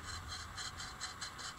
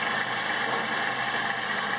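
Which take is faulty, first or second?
first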